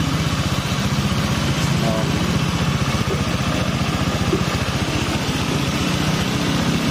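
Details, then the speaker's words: Honda Vario 125 scooter after engine teardown, thermostat shimmed, internals cleaned of burnt oil residue: even, steady putter with no knocks, rattles or misses, sounding smooth; normal idle. "Nyalakan ini mesinnya udah lembut suaranya"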